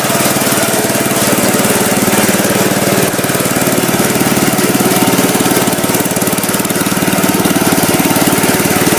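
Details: Gravely Commercial 10A with single-cylinder Kohler, first start after rebuild (governor cross shaft and gear, crank ground 10 under, new piston, rings, rod, gaskets, light hone), snowblower attached: steady, even rapid beat, no knocks or misses, runs healthy.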